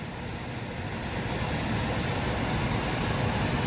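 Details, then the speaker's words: 2020 Chevy Bolt EV showing propulsion power reduced and service vehicle soon (codes P1300, U3634; high-voltage battery later replaced): loud steady blower rush with no compressor and no air conditioning; cause suspected, not confirmed. "Yeah, propulsion power is reduced. You can hear it's blasting right now because it probably can't. Yeah, that's definitely not air conditioning, so let's shut that off."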